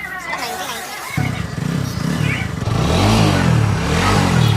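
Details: TVS Apache RTR 200/160 4V exhaust after welding the silencer to cure its tinny rattle: clean, crisp note climbing smoothly as the throttle is blipped, no rattle; normal, fixed exhaust sound.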